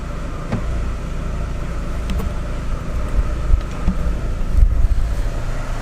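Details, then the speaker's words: 2006 Chevy Aveo, formerly rough idle with P0300, after new plugs, wires and coil, EGR cleaning and IAC valve cleaning/replacement: low even idle, rpm steady, no misfire or surging even in Drive with brake held; normal idle, repair fixed it. "well seems like it's idling good our PM's aren't jumping you can't hear it misfiring at all"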